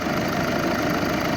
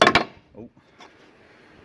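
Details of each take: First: VW 2.0 TDI after timing belt replacement, coolant circulating with no leaks: even, steady diesel clatter at idle with no knocks, misses or rattles; engine sounds healthy. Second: Old water pump removed from VW 2.0 TDI during timing belt job, spun by hand: dry gritty scraping rasp every turn; worn-out bearing from being left unchanged for a very long time.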